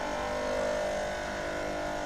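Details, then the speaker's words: Espresso machine vibration pump (PL82T/PL92T/PL81T/PL91T type): steady mid-pitched buzzing hum as the pump runs dry, stuck and moving no water, from sitting without water a long time; water pushed into the inlet tube to restart it. "this happens when the pump stay without water for a long period"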